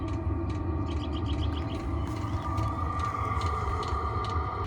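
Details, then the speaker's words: Chinese diesel air heater newly installed in wooden box on cargo trailer, first startup: quick light ticks over steady blower whirr and faint tone; normal fuel dosing pump ticking. "oh i think it's working i hear it you can see it's all starting up kind of hear the tick of the pump"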